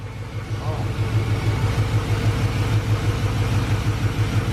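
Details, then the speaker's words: LS-swapped Chevrolet Suburban V8, first start after the swap, freshly fitted with a cold air intake: deep, even rumble with a steady pulse and no tapping or knocking, with PB Blaster burning off. Healthy idle, no smoke. "this was the PB Blaster and stuff burning off but it sounds good no knocks"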